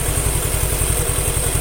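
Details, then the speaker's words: Suzuki Nex II scooter after replacing the left camshaft bearing that had caused a rough, CVT-like noise: quick, even putter at idle with a clean low beat, no rough rattle or grinding from engine or CVT; normal idle. "Suzuki Nex 2 sudah saya lakukan perakitan tinggal dilakukan bunyi mesin hasilnya seperti ini suaranya halus suaranya itu halus tidak ada suara kasar entah itu di bagian CVT atau di bagian mesin Tengah"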